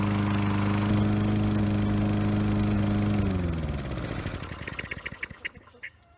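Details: Free roadside Toro Recycler mower (model 20016), smoky with oil in exhaust, runs steadily about three seconds then loses power and coasts to a stop; runs only with intake covered, lean mixture from clogged carburetor, carb needs cleaning.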